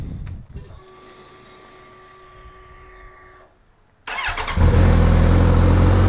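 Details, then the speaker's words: Kawasaki Z900RS cold start: a tick, then a fast steady idle starting near 1750 rpm that climbs toward 2500 rpm; excessively high cold idle from emissions-based fueling, adjustable via a small hard-to-reach idle knob. "so initially it's modulated about 1750 rpm but then the needle quickly starts to climb and pretty soon you're up near 2500 rpm on a cold start"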